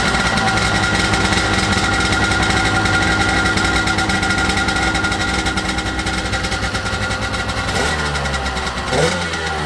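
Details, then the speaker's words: 1995 Sea-Doo GTX two-stroke after exhaust leak repair with new gaskets and RTV, started on choke in the driveway: steady, even drone with crisp exhaust beat, no misfires or rattles; running good. "Running good. Sounds good."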